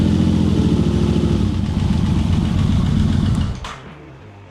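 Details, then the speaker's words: Yamaha VMax V4 after coolant reservoir cleaned and refilled (about half gallon), started to cycle and burp the radiator; needed choke, then fast even low thrumming choke idle, no knocks or rattles, running happily. "All right, fine, I'll give you some choke. There it goes, now it's happy."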